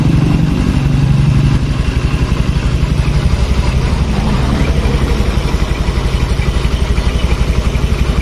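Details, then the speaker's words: Honda Scoopy (pre-2020 model, 800 ml oil capacity), complaint of hard steering, intermittent starting and rough engine: steady, even idle thump at about three beats per second with no knock, miss or rattle; engine idle is normal. "dibukanya normal nggak ada masalah untuk stasioner lancar terus di bagian mesin tidak begitu berisi begini"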